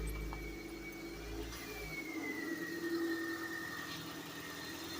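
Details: 1996 Toyota Corolla AE110 petrol engine idling just after start, with a rough-idle history: thin high whistle slowly falling in pitch.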